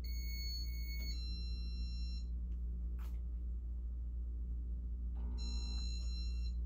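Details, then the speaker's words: 1985 Casablanca Broadway Limited Inteli-Touch ceiling fan at speed three: two drawn-out electronic chimes, about a second each, over a low steady fan hum; beeps should be quick, owner suspects faulty RMM1 control board; fan also stuck in flicker mode and bearings sound worn. "we'll go to speed three now and the beeps aren't supposed to be that long and it's not supposed to take all that time it's supposed to be quick but something's wrong with the board"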